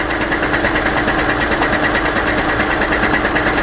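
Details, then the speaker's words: 2014 Volkswagen Golf TDI diesel idling with a steady knock, a bit over two a second, from the transmission; something is banging inside, and the transmission must come off to find it. "It's the transmission. It needs to come off to figure out what's banging against what."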